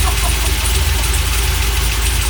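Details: Freshly rebuilt LS1 V8 with very choppy Crow cam, swapped into 1978 C3 Corvette, just after first successful start: loud, deep, lumpy choppy idle, firing steadily and holding on its own; healthy.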